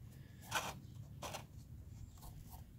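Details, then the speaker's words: Vacuum brushroll with rusted screws turned by hand: two short gritty rasping bursts, a dry grinding crunch from a seized brushroll needing cleaning. "this brushroll is seized yeah this oh you can listen to that grind"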